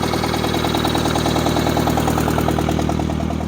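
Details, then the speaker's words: 1963-64 John Deere 1010W tractor, sat 18 years, started without ether at about half throttle and full choke; idles with an even steady chuff about three beats a second, no misses, sounds really good. "She sounds really good. This is awesome. It's filthy."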